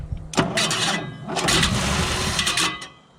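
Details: 1964 Valiant convertible (slant six) that sat abandoned for years, push-button auto in neutral: laboured, uneven cranking bursts for about 2.5 seconds that never catch; smoke from the back of the solenoid atop the starter, starter warm, suggesting starter/solenoid issues.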